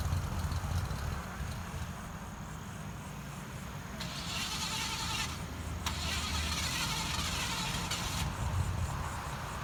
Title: Mans Junky Car Won't Start!